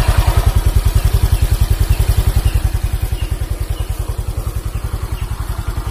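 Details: Honda Vario CBS 125 injection scooter after repair of an oil-starved seized engine, radiator refitted, idling: steady, even low putter about 207 pulses a minute, no knocks or clatter; normal, smooth idle.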